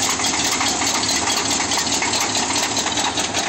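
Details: Demo derby car with what sounded like rod knock: rough idle with an irregular deep knock about twice a second. Teardown found loose flexplate-to-torque-converter bolts, and the knock stopped after they were tightened with Loctite.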